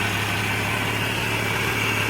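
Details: 1989 Jeep Cherokee 4.0L I6 Renix with AW4, just started after AGM battery upgrade, charging at 14.7 V; steady, even idle hum with smooth low note, no ticks, knocks or stumbles; normal idle.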